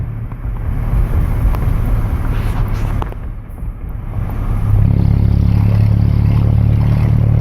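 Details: 1997 Ford Ranger, manual, 2.3L with muffler delete exiting under the passenger door: loud, low exhaust rumble with an uneven throb that swells as revs rise; cause of the noise unidentified.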